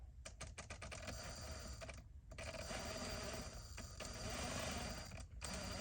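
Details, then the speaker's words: Traxxas TRX-4 Sport RC crawler with LCG kit, first power-up: fine low speed, then low motor drone with rough uneven clicking and knocking; motor cogging from heavy drivetrain resistance and binding. "as anticipated we get a real fine low speed from the fear attack and the yellow jacket and then we get what's like hogging hear it Knocking that cogging is because it's there's so much resistance in the drivetrain"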